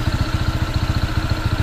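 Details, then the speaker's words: New Honda PCX 160 at 38 km, before break-in, with misfiring and stalling at idle. A rapid, even idle thumping with an extra noise on top that keeps sounding and gets louder; cause unclear, possibly needing break-in. "ito pala Ay hindi hindi nga oh may tumutunog pa rin oh yun lumakas"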